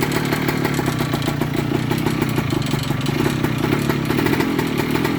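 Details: 1998 Kawasaki KE100 two-stroke, cold start after sitting days: fast even metallic tick-rattle over exhaust putter from the cylinder/top end; cause unknown.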